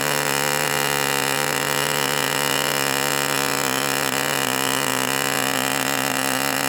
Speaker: full throttle and keeping it at that burbling four stroke period. And you could kind of hear it want to go to two-stroke mode where it kind of go you you could hear the pitch change periodically.